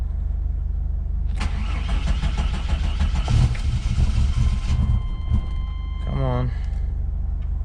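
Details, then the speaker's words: 1993 GMC Typhoon: long gritty cranking before it catches, then a whirring whine falling away; the fairly new mini starter seems to stick and not disengage cleanly, as it always has since installed. "sounds like the starter sticking to us a brand new mini shorter but it just has always sound like this one sticking since I had to put on"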